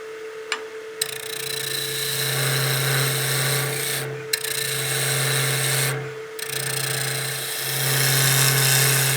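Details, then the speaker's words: Wood lathe turning a maple baseball bat blank: steady hum with coarse rasping buzz during each cut, stopping between passes; the thinning workpiece is chattering and needs light hand support behind it to stop the vibration. "So, I don't know if the camera's picking it up. You hear the vibration when we're making a cut."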